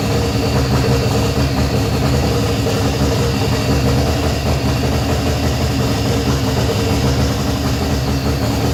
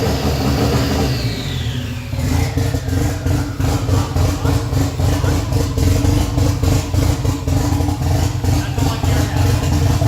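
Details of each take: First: Freshly rebuilt 180 engine's first start after 10 months sitting, run about a minute, not fully hooked up: smooth, even idle with steady low rumble, no knocks, ticks or misses; sounds healthy. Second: Freshly rebuilt Nissan 180SX SR engine, first start after 10 months, running briefly with no exhaust and no intercooler piping: after a blip the open-pipe idle pulses roughly and surges, lumpy like a big cam; hunting idle.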